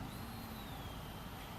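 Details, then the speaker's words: 2009 Audi Q7 V8 no-start with no fuel pressure: fuel pump powered directly by a fused jumper and the engine running; a thin, steady high whine over a low rumble; pump working normally, possibly over-fueling at full power. "Okay, great. The fuel pump's working, car's running."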